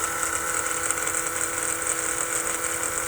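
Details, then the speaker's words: Holley Blue electric fuel pump bench-tested into a hose, once thought dead until disassembled and reassembled: steady even hum with a thin high whine, no stutter or clicking, giving a decent fuel stream; pump running healthy. "so here we go that's a pretty decent stream coming out of the out of the hose there you can hear the pump running"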